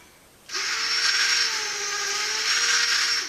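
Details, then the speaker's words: Hornby OO gauge turntable on 12 volts rotating with a locomotive aboard: thin, high, whirring gearbox whine that is louder than it should be. The drive motor is very noisy, and the cause is unconfirmed. "So now we'll put the engine back on it, and we'll move it over again. Very noisy, as you can hear."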